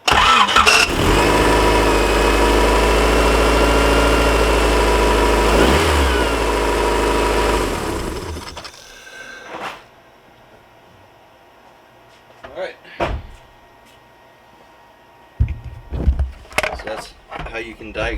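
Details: Petrol engine starts and runs steadily with no belt squeal, then shuts off; the squeal was fixed after the alternator belt, which had sat on the wrong pulley grooves, was refitted and tensioned along with the power steering belt.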